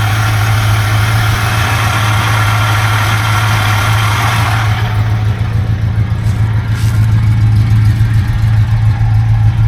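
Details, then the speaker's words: 1971 Buick GS 350 V8 running for the first time in years, showing oil pressure; lumpy, uneven idle of about three pulses a second that never settles; owner says it sounds unhealthy and suspects the water pump may be going; rough running. "it's just the engine itself doesn't quite sound like it's uh too healthy also that water pump might be going out I might be hearing that"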